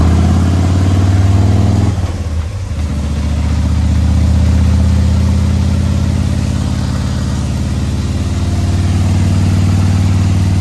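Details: 2020 Harley-Davidson Road Glide, fresh 130-inch T-Man Performance stage four engine on a dyno pull after warm-up (result about 155 ft-lb torque, almost 153 hp): deep, even V-twin drone holding steady after a brief dip, no knocks or rattles; normal under load.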